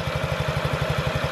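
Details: 2017 Honda Ruckus NPS50 50cc four-stroke scooter after idle adjustment, tachometer reading about 1380–1420 rpm; even, steady putt-putt of about ten beats a second with no misses or stumbles; normal idle.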